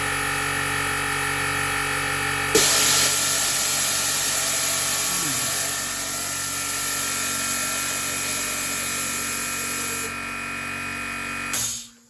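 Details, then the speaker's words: 50-litre air compressor before rebuild: loud steady hiss over the running compressor for several seconds as the safety relief valve vents; pressure switch fails to cut out at proper pressure. "that noise was the pressure relief valve which is kind your safety valve 12 going off so the switch is not switching off when it reaches the proper pressure"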